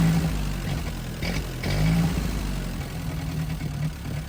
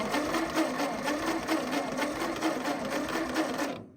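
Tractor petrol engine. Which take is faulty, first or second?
second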